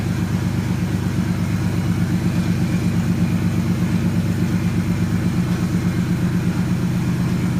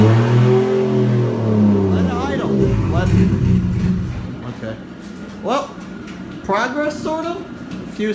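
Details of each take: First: 1JZ-swapped Nissan S13 at first startup after a dead battery was dealt with; it settles into a steady, even low idle with a smooth regular pulse, no knocks or misses: normal idle. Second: 1JZ-swapped Nissan S13 that went through a blizzard in transport, cold-weather first startup: catches and revs for a few seconds, then cuts out abruptly; it stalls, cause unknown, and the owner plans to rewire the fuel pump relay and fuses.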